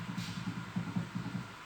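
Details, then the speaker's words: Fiat Strada shock absorber removed: dull low clunks, about seven in two seconds, as the rod is forced; play and a darkened wear area on the rod cause strong suspension noise. "desmontamos o amortecedor e Olha a folga que tá aqui ó conseguimos perceber aqui que essa área mais preta aqui é a área que teve um desgaste da AST e consequentemente gera esse barulho"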